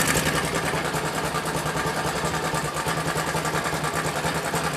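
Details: Bajaj Pulsar NS 200 at idle: an uneven metallic clatter about three beats a second over a loose idle. Timing chain rattle; the chain is being replaced and the timing reset.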